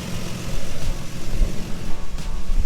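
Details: Lexus GS300 with naturally aspirated 2JZ engine after a cheap exhaust-leak repair cured by 20 minutes of running: deep, low rumble swelling and dropping with revs, no sharp ticking or puffing; huge improvement, exhaust largely sealed with maybe a slight leak remaining.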